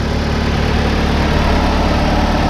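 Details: 2006 Chevy HHR, 125k miles, started on booster pack, almost no fuel: low, even idle hum at constant speed without stumbles, rattles or hunting; normal, smooth idle.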